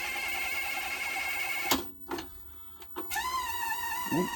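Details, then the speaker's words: 1982 Panasonic NV-366 VHS recorder, bad belts, with tape loaded: loud high-pitched motor whine that cuts out, then spins back up with rising pitch; rewind runs noisily, cause not yet found. "wow why is he rewind so the basic mechanical seem to work"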